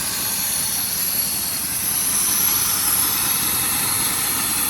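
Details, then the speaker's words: 2004 Dodge Dakota 4.7L V8 with random misfires, passenger-side injectors and coils disconnected: rough, hollow, lumpy running with heavy hiss on only the four driver-side cylinders. "This uh 4.7 is just running on the four cylinders on the left side driver side."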